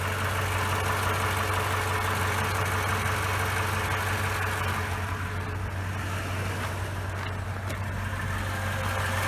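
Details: 2011 Toyota Tundra 5.7L iForce V8, about 169,000 miles, warmed up, heard from outside with hood open: smooth steady idle with light, even diesel-like clatter, quieter than cold; normal warm idle with valvetrain noise.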